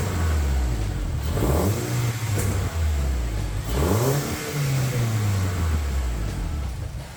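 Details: Honda K24-swapped Toyota Camry with new turbo manifold and freshly built full exhaust, first start-up, warming up: engine revved with a deep burble train and odd overrun pops at the back; exhaust flanges later found leaking.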